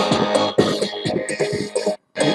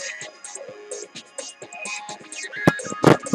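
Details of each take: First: Phoenix Gold ZX475TI car amplifier under repair with suspected potentiometer faults: music comes through clean and full with no crackle or clipping on this working channel, while the other side sounds saturated. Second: Phoenix Gold ZX475TI car amplifier: music breaks into loud scratchy crackles and pops, then drops out completely when the potentiometer is touched. The potentiometers are faulty, while the chips are thought undamaged.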